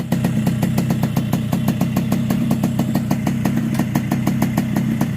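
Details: Yamaha RX King two-stroke after new cylinder block and head, replaced because a porting error left the exhaust port too wide and caused rough sound and no power on hills; crisp, even popping about five beats a second over a steady low hum, a smooth normal idle.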